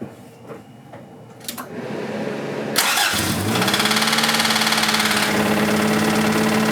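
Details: 1986 Toyota MR2 AW11 salvage-yard parts car, after vacuum leaks were fixed: engine cranks, catches and settles to idle with a steady sharp knock about four per second; bad rod knock, engine declared toast.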